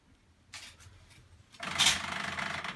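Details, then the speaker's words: Bosch WAE24366 washing machine that trips the circuit breaker, on a rinse-and-spin cycle after failing to drain; low steady hum under gurgling water surges as the drain pump empties black, soapy water; normal drain pump operation. "what's that noise that's the pump so it's pumping out that water okay you can see how dirty that is"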